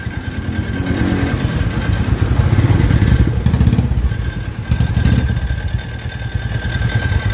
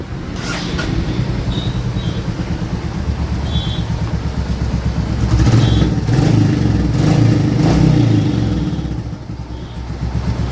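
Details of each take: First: New-model Royal Enfield Classic 350 (Reborn), owner's complaint of a noise on starting: single-cylinder idle thump with an uneven clatter and sharp rattly bursts. The cause was not stated; the noise was gone after the mechanic's repair. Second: Royal Enfield Classic 350 Reborn after repair of an abnormal engine sound. Even single-cylinder thump that rises and falls cleanly with throttle blips, no tapping or rattle. The noise is gone; running normally.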